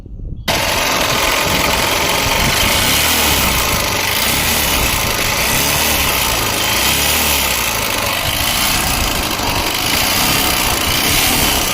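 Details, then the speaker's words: Honda Unicorn motorcycle, just started: a harsh, loud metallic clatter at idle with heavy smoke from the silencer; diagnosed as crank and connecting rod noise, needing a full engine rebuild. "దీనికి full engine అయితే చేయాలి. ఇందాక వినిపించిన sound వచ్చేసి crank sound"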